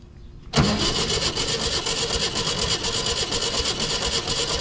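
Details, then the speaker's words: 1966 VW Type 3 Fastback flat-four, mileage unknown, compression test on cylinder 2: starter cranks at a quick, even beat with uniform strokes and no dragging; reads just shy of 120 psi, about 118, sound compression. "right hmm it looks like just shy of 120 so about 118 or so"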